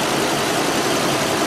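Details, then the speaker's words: 2010 ambulance after leak repairs and new hardware, warming up; steady even idle with a smooth airy exhaust note, no ticking or puffing; exhaust much quieter and sealed. "exhaust system sounds a lot better it's nice and quiet"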